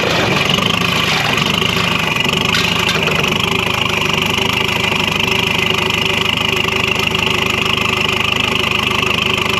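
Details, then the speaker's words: LX665 engine running with the exhaust removed during exhaust repair: loud, raw crackling bark over an uneven engine beat, far harsher than with the exhaust fitted. "see what it sounds like without without exhaust on it i don't know if you like it"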